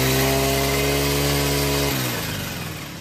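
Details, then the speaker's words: Green Farm four-stroke brush cutter, brought in for heavy vibration under throttle, running after the blade was checked unbroken and even and its nut tightened: steady high-revving note with even tone, no wobble or rattle, then winds down smoothly; blade running true. "चलिए machine को start करके हम check करेंगे carburettor में लगा हुआ prime bulb तीन से चार बार हम प्रेस करेंगे उसके बाद रिकॉइल स्टार्टर खींच करर हम मशीन को स्टार्ट करेंगे"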